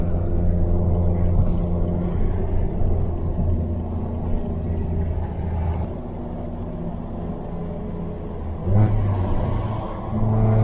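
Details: After fixing a boost leak behind a 30FF no-boost code, a BMW 335i N54 pulls strongly, climbing and dropping cleanly with throttle, with no hiss or flutter. Boost builds normally to about 15 psi with no leak.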